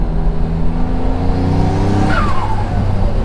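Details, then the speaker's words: Mitsubishi 3000GT VR4 with rebuilt twin-turbo 6G72 and 15G turbos, driving under boost after refitting intercooler piping coupler that blew off near 13 psi: hard pull with rising note and falling whistle on lift-off, no leak heard; sounds louder than before, suggesting an earlier small air leak. "It sounds better though. I must have been leaking air a little bit that whole time, because this sounds so much better."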